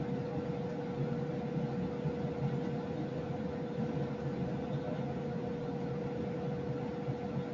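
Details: Lennox EL296V variable-speed furnace, a few months old, mic first in the basement then near an upstairs kitchen register: constant loud jet-engine-like rushing roar with steady hum, no pitch change; excessive airflow noise, cause unknown.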